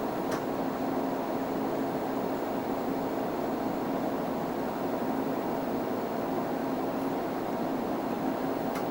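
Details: 5.25-inch floppy drive on a TRS-80 Color Computer reading a 10K file in a BASIC test (about 26.6 s): low steady motor whir with a couple of faint ticks; normal reading.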